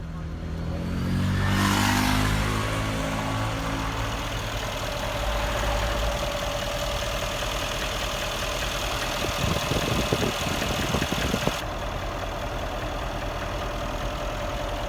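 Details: 2013 Mercedes CLS63 AMG M157 V8 idling in gear (D, R): fast steady diesel-like ticking over engine hum; owner unsure of cause, suspects cam failure, worn lifter or oil connector.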